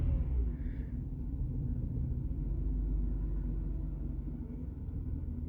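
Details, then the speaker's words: Jaguar XJ40 XJ6 4.0 Sovereign idling before setting off, with its gearbox not shifting past second: low, uneven rumble whose revs bounce, level out and drop. It is misfiring with an unstable idle; cause unknown. "So bad news, before I've even set off, we've got the misfire. You can see it sort of bouncing, leveling itself out, bouncing again, the revs drop down."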